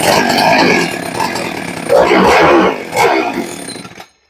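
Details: Ported, decked Husqvarna 394XP chainsaw after rebuild, first fire: fires and revs cleanly with crisp throttle pickups and a steady high buzz between blips, then shuts off; idle needs turning up a bit, throttle response good; runs healthy.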